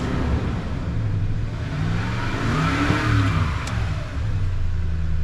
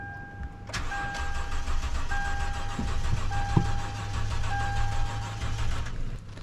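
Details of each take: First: 2011 Toyota Tundra 4.6L V8, after a battery was installed backwards and the main fuse and blown 10 A ETCS fuses were replaced: engine catches and settles into a steady, even running note with a light rev, no stumble or miss. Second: 2011 Toyota Tundra 4.6L V8 after battery installed backwards and main fuse link replaced, being jump-started: starter cranks steadily for several seconds with even compression pulses but engine never catches; crank but no start.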